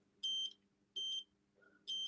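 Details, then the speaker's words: Nintendo Switch with no power, board out: three sharp, high continuity beeps on the capacitor above the P13 charger chip show a short, so the P13 (BQ24-series) chip needs replacing. "yep and as suspected that is shorting out so it's going to need a replacement p13"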